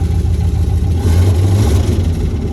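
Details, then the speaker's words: 1995 Jeep ZJ V8 with muffler removed (headers and downpipe): deep rumble that stumbles and surges instead of pulling, hesitating badly on any throttle; not fixed by new sensor or EGR cable adjustment; hesitation traced to faulty crank sensor ground. "Yeah, hella hesitating. So now at least the Jeep starts, but it's not drivable at all whatsoever since it hesitates like crazy when you give it any throttle."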